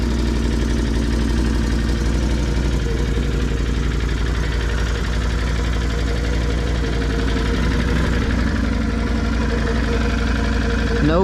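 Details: 2020 Can-Am Outlander 570 sold as having a bad fuel pump (the pump proved fine), now repaired and running before its first ride: steady, even idle with a smooth low throb and no knocks or misses; engine healthy.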